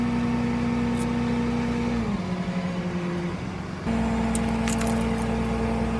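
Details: Toyota 4Runner with a bad transmission: a steady droning tone sags in pitch for a second or two, then returns while driving; the transmission sounds unhealthy, suspected, not confirmed.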